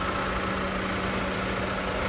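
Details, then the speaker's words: 2018 Honda Civic FC 1.8 EL (141 hp), about 150,000 km on the odometer, all original, heard in the engine bay: a steady, even idle with a smooth low hum and no misses, ticks or knocks; very smooth. "ในส่วนของห้องเครื่องเครื่องเดินนิ่งมากคันนี้นะครับเพื่อนๆ8712นะครับ"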